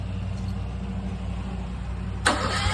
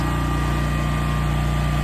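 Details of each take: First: New Westinghouse 20,000 W portable generator on first startup: starter churns with an even beat but the engine never catches; fuel not yet through the system. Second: New Westinghouse 20,000 W portable generator powering the whole house: a steady, even drone with constant pitch and no dips or knocks under load, running great.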